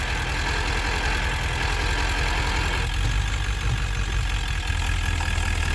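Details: 1999 Ford F250 7.3L diesel with ZF6 manual, shifting through the gears under load; heavy drone with low uneven rumble; unknown driveline noise only in gear, absent in neutral, same in 2WD, 4WD or low range; source not found.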